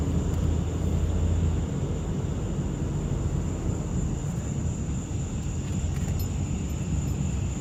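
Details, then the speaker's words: 2005 Dodge Ram 1500 4x4 cruising after replacing the noisy rear differential with a salvage-yard unit: steady road rumble and engine drone, no whine rising with speed; rear end now quiet. "sounds much better this is great this is awesome man two days of work well worth it"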